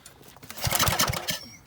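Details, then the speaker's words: Old farm-sale Briggs & Stratton 8 hp 319 cc industrial/commercial engine on a generator, cranking with plenty of compression; quick chuffing crank pulses without firing; no spark, problem found with an ignition coil that had been wet a lot. "no spark having plenty of compression no water in that plug lid"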